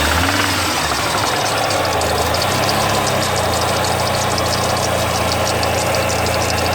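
Idle with a fast, light metallic ticking riding over the engine hum, even and continuous; a slight knock of unknown origin.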